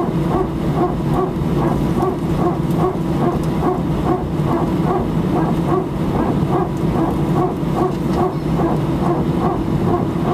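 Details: Air France A319 taxiing for takeoff from Sofia to Paris, recorded from cabin seat 18F: rapid regular barking bursts over engine hum, a very strange abnormal rhythmic noise, cause unknown.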